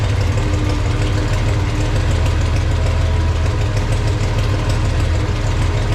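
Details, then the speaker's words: Farmall 460 tractor idling after points gap adjusted slightly closer, believed to advance timing slightly; charging gauge barely moves, generator or voltage regulator suspected; steady low even rumble, no misses or knocks, normal idle. "That really sounds good. We got to figure out something."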